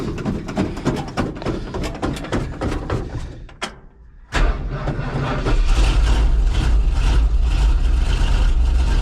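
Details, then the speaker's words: Old International vehicle "Delores" doesn't like being cold: ragged cranking and sputters, a brief stall, then it catches into a loud fast run. It will only run cold at about 1,800 RPM right after start. Hard cold start, rough running. "you know I kind of feel bad you fire it up and you run it at like 1,800 RPM right off the bat but that's about the only way it'll run you know"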